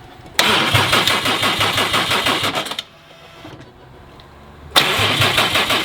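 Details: Subaru STI with Haltech Elite 2500 ECU, first start with no coolant: two bursts of fast choppy cranking with no firing; engine turns but won't start because the ECU holds a constant 12V on cylinder 5's ignition output instead of 0.050V at rest.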